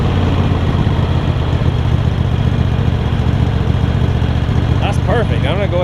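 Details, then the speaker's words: Craftsman garden tractor Kohler CV20 V-twin, pre-warmed, after carb clean and idle adjustment, started without choke: steady low drone, even firing, no stumbles or surging, bird chirp at end; running properly. "you can see it starts straight up without choking it or anything I had it warm already but when I L off the brake you'll hear it catch and it'll kick in a little bit"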